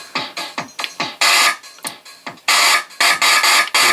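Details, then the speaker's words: Roland MC-505 groovebox, pattern 12 on the main/mix output after a tone-generator IC swap that helped only a little: harsh hissy static bursts on the beat, only when notes trigger, heard on about half of the eight tracks; cause unknown. "Do you hear that beeping or the static sound on the output like rhythm?"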